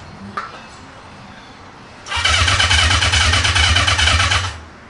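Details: Motorcycle started for the first time before teardown, using a borrowed Triumph battery, spark unverified: quiet, then catches after about two seconds and runs loud and steady with a quick, even exhaust beat; starts and runs normally.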